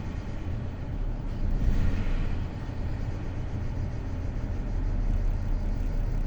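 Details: BMW N53B30 after cold start, a minute or so in: lumpy uneven idle with a deep irregular stumble about four times a second, engine shaking; misfire on cylinder 6 (P0306) despite new spark plugs and coils.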